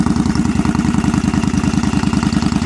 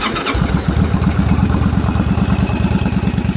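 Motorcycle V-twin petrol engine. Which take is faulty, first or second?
second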